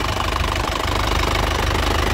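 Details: 2017 Isuzu Panther LS Turbo diesel, 130,000 km, at idle: steady even clatter with a smooth low rumble and no misses, described as stable with good injector nozzles and pump; no smoke noted; healthy idle.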